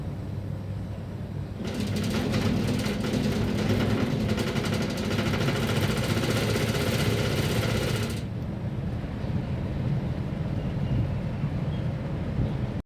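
A low, uneven rumble with a harsh rattling surge for several seconds; the unit is vibrating and noisy, cause undetermined.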